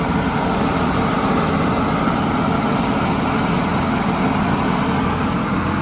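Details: 1983 Chevy Holiday motorhome V8, first run after sitting 10 years on old gas, smoking: steady even drone idling around 2,200 rpm with no dips or hunting; idle too high.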